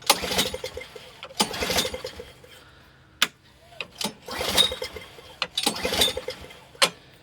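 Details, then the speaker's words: Free, discarded Honda HS520 four-stroke single-stage snowblower with an aftermarket switch: repeated recoil pulls, brief whirring cranks with no firing, not a single pop; cranks but won't start. "I haven't heard a single pop. Okay, I mean business now. I mean business."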